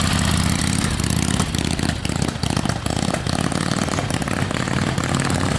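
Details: 1976 Harley XLCH Ironhead at rest: V-twin lopes along at idle with steady even beat, no stumbles; idle sounds healthy, though it misfires a lot when ridden.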